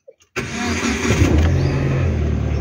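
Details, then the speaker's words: Proton Saga BLM start right after replacing all spark plugs: quick crank catches at once and settles into a steady, even low hum; clean, easy start. "Okey, kereta pun dah hidup"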